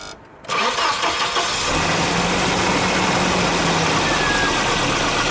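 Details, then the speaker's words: 1992 Volvo 940 GL, B230FB engine, cold start: a busy hollow rattle over the idle from piston slap. The knock occurs when cold and quietens as it warms. "so now with the motor cool i should be able to show you guys the piston slap i was talking about"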